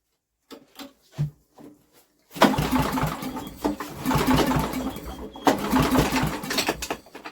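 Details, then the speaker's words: Old Briggs & Stratton generator with new carburetor, choke on, cold windy day: a few rope-pull scrapes, then irregular pops and sputters that never settle into a run; pops but won't start, spark plug slightly damp. "hey we had a pop didn't we she popped on that first pull"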